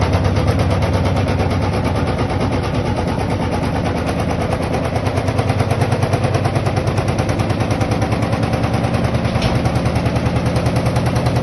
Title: LG Washing Machine Rattling Noise